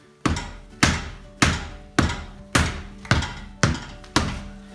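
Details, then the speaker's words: Brake dust shield behind the rotor, hitting the rotor, rattles when the wheel is struck with the car on jack stands and suspension hanging; seven heavy blows each leave a brief tinny ringing rattle. Fixed by zip-tying the shield to the knuckle. "I think I hear that route so with somebody hitting the wheel I'm just gonna put my hands on different things until I hear the rattling stop that means we found the object it's not vibrating anymore"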